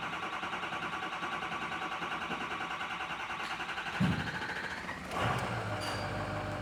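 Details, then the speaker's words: Ford F350 6.0L diesel after crank-no-start repair, batteries somewhat weak, on charger: several seconds of steady starter cranking, then the engine catches and settles into a run. "So it's gonna take a little while to crank."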